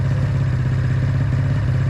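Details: 1996 Ski-Doo Formula SS, Rotax 670 two-stroke snowmobile, sat 10 years, carbs cleaned: low, uneven idle with a clattery beat that will not throttle up; one carburettor appears freed and the other still stuck, starving it of fuel.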